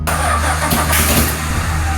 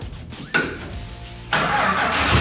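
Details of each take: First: Rebuilt Australian roo-hunting ute, just after spark plug wire work, fuel poured into the carburetor bowl and a little throttle given: catches and runs rough with a few sharp pops; backfiring, owner suspects ignition timing needs setting. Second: Rebuilt Australian roo-hunting ute made from two dilapidated utes, tested with clutch in while checking the gears: brief crank, the engine catches at once and settles into a steady, even idle with no knocks or misses; idles well.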